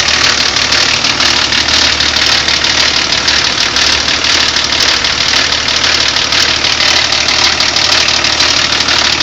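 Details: BMW E34 TDS diesel idling with a fast, even metallic rattle over the clatter; stretched timing chain and worn chain guides.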